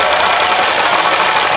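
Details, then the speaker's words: Drill cutting holes for the angle-iron workbench: steady gritty hiss with no squeal, producing chips, normal cutting. "this one's real good we got chips we've got chip"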